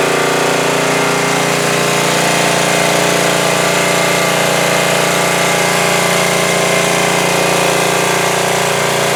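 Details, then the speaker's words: 2002 Coleman Powermate 5500 generator after carburetor cleaning and motor mount repair, air filter off: started easily on choke, switched to full run; steady, even drone with no hunting, surging or misses. "yeah that started very easily I had it on immediately put it to full run and it ran great"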